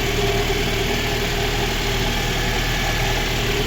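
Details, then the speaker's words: Lada Granta with overheating coolant, after cylinder head repair, idling cold: smooth even idle with steady low hum, no misfire or top-end ticking; engine sounds healthy. "Працює рівно, не троїть. Все чудово."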